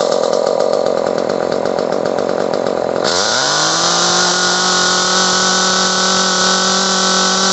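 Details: Echo CS-303T chainsaw that bogged on throttle, after turning the H carburetor screw out half a turn. Screams at high revs, then drops cleanly to a steady, even idle with no stumbling or dying; runs and idles normally.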